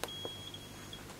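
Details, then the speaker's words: Vinidex HST-S-160 electrofusion welding unit under repair, powered up with a 20-ohm resistor as test load: short click then steady high-pitched fault beep, error 2 meaning the coil can't be sensed. "there are two so there are two means you can't sense the coil"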